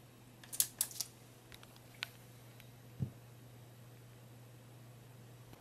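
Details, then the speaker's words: Marantz receiver after glue repair of a buzzing, rattling power transformer, dried a day: faint steady low hum, no rattle or buzz, a few handling clicks; normal transformer after repair. "there you go it's all nicely working so yeah i'm fairly happy with that it's all come out well"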